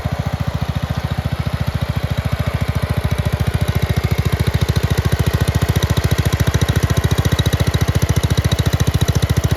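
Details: Red 1962 Bolens Ride-a-matic tractor idling after a choke start and restoration work: fast, even single-cylinder thumping at a steady rate with no skips or knocks, idling smoothly and healthy.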